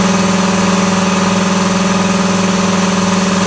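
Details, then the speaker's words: 80-gallon Cobalt air compressor inside a vented, partly insulated enclosure (one layer on the doors and side, none in the roof). Loud steady pump drone with an even pulsing beat and strong hum. Running normally; still about as loud as before. "about the same distance away as before about the same so is it worth it i don't know i mean it's going to be loud regardless"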